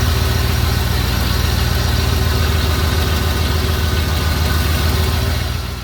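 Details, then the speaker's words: Big Block Lightning, EFI 460 V8, just fitted with an unadjusted Aeromotive adjustable fuel pressure regulator (about 35 psi key-on vs 30 stock): deep, even burble at steady idle, no misses or knocks; healthy, slightly improved. "So I can hear just a slight difference in the way the engine's running. It definitely sounds like it's made an improvement."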